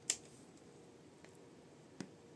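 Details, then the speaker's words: New Edifier R2750DB speakers switched on by remote in a quiet room: one sharp click, then two faint ticks; the owner finds the power-on pop loud, and the cause is unclear. "Выключаем, теперь включаем, слушаем. Такое щелк, такое пук-пук, такое вот, и типа это как-то не очень."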